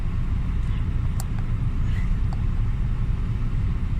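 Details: Hyundai Getz 1.2 petrol 12-valve with complaint of high, unstable idle and hard starting, faulty coolant temperature sensor reading -40; idling about 826 rpm with A/C on; deep, even idle rumble, no misses or surging; normal idle.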